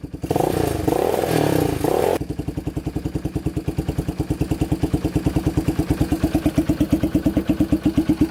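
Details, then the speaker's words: Yamaha Warrior 350 single-cylinder quad, year unknown: engine revs briefly then drops into a slow lumpy chug, bogging at full throttle as if it won't take full throttle. "Kind of bogs. Doesn't sound the greatest. You can hear it bogging at full throttle, like it doesn't want to go full throttle."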